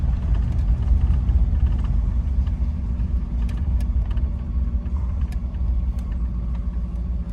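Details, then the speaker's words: 1950 Packard Eight Touring Sedan, 138 hp flathead straight-eight, Ultramatic, 30,356 miles, restored: deep, soft, even idle hum with no ticking, misfire or knock; smooth, quiet normal running. "you can hear the motor is just humming it's just a super super smooth quiet running and driving car"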